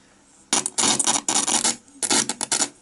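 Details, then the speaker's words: Panasonic SG-J500L boombox/record player at its first power-up after years unused: harsh hiss and crackle bursts as a button is pressed. Faulty switches suspected, not confirmed. "you can hear it very loud there as i press that"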